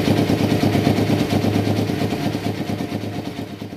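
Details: 1993 Kawasaki Vulcan EN500 bobber project, start after removing the reed/air suction valve and installing and synchronizing the carburetors; mixture not yet tuned. Steady, lumpy twin-cylinder idle with a few quick blips that rise and fall cleanly, no knocks or misses.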